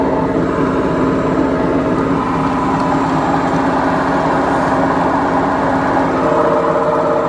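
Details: BEKO washing machine, 7 years 8 months old, with bad bearings: continuous loud rumbling roar with a droning hum as the drum turns, worn drum bearings.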